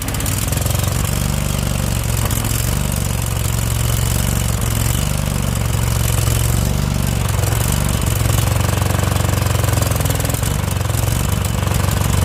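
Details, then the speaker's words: Husqvarna YTH2148 lawn tractor with Briggs & Stratton Vanguard V-twin: loud, lumpy, surging running on choke, struggling and dying; fuel-starved, clogged carburetor that must come off (solenoid earlier suspected). "yeah so the carburetor is got to come off that was obvious right there"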